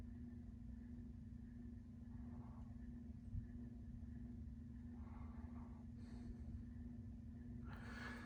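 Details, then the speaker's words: 1998 Encon Corinthian 42-inch ceiling fan, three-speed reversible, starting on low: steady hum with a faint scratchy whir from slightly worn bearings; the fan moves air well but is noisy. "fan now starting on low does have a little bit of bearing noise and it hums but it's not a bad little air mover"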